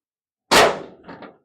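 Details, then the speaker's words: 1983 Chevrolet C10 square-body tailgate, after replacing missing/worn rubber bumpers: one sharp metallic slam, then two soft settling knocks, no lingering rattle, a huge difference. "Oh, yeah. [clears throat] Huge difference. Huge difference."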